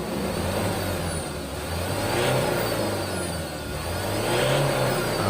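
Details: Ford Ranger 2.2 diesel revved after a turbo-related repair for heavy white smoke; the white smoke is gone and the power warning light is off. Revs rise and fall in steady swells with a clean whir and no hiss, rattle or flutter: normal.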